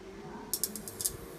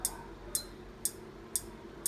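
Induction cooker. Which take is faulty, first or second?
second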